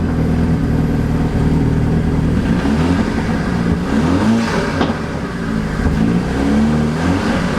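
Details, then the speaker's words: Car bought from a salvage auction being revved: lumpy, stumbling, uneven revs, running on three cylinders with heavy blue smoke; owner suspects a failed coil pack; misfire under throttle, cause unknown. "as you can hear she's quite rough so she's running on three cylinders so one of the um coil packs possibly could go"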